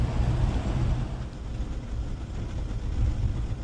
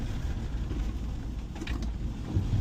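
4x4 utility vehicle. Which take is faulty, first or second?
first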